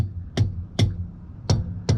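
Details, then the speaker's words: Motorhome rear tire struck with a thumper tool: four sharp strikes, each giving a short bright ping, not a dead thud. Old trucker's check showing the tire is properly inflated. "That one sounds a little bit different, but they're both good. If it has just a thud, well then you know there's air pressure is low."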